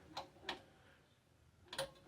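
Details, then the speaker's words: Powerglide transmission: a loose, misaligned shift detent roller catches, not hitting the tin plate; a few sharp, unevenly spaced clicks over a quiet background. "it's not hitting that tin plate making that noise no it's actually catching"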